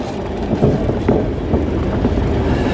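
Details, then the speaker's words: Low-mileage 1966 Valiant engine, not started in 10 years or driven in over 20, on its first drive with poor brakes: steady engine note under road rumble and rattles, pulls evenly with no knock, slight smoke; runs fine. "runs good sounds good i need some air okay down the road we go a little bit of smoke"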